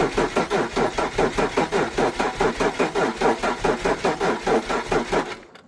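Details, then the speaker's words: Abandoned BMW E46 330Ci, sitting since about 2019, cranked with the fuel pump fuse pulled to build oil pressure after an oil change. Steady rhythmic starter cranking at about 2.5 turns per second with no firing, so no start. "But I just want the oil to basically pump around for now, so it's just gonna go wah, wah, wah, wah, wah, and nothing, and then we'll hopefully get oil pressure around and then give it some gas."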